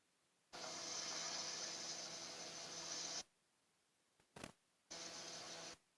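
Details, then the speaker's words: Refrigerator evaporator after leak patch and flushing, pressure pipe warm: smooth, even hiss in bursts as gas is pushed through, no gurgle or choking; refrigerant flowing freely, evaporator not blocked. "saya akan dengarin ya Pak Bui apa tidak bisa dengar ini sudah pasti untuk Rambang tidak buntu di atas"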